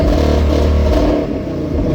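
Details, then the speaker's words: Coyote V8 Mustang with 113,000 miles and an MSD two-step, clutch pressed: revs held at 4,000 rpm with a rapid, even stuttering crackle from cut ignition, the two-step launch limiter working normally. "So okay, right now the clutch is pressed down, and I'm gonna rev it up, and you'll see how the RPMs stop at 4,000 RPMs, and you'll hear that typical two-step sound."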